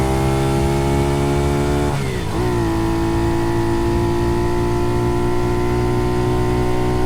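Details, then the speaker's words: Honda CT70 Trail Widebody, freshly built, on its first shakedown ride after carburetor jetting was sorted; small single buzzes at steady revs, dips briefly on shifts, pulls cleanly with no popping or hesitation: running well. "The other clips I had, she wasn't running so great, but you can see in this one, and I'm gonna let you hear it. She's really singing, and I'm really happy with how it's running now."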